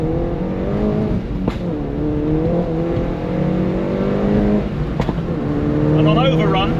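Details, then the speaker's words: Mini Roadster JCW with pop-and-bang map in sport mode, window slightly down: engine note falls away on overrun with two sharp cracks; exhaust pops and bangs on overrun. "overrun yeah it's just really dull really annoying I think I thought it was cool once but I don't think it's cool anymore"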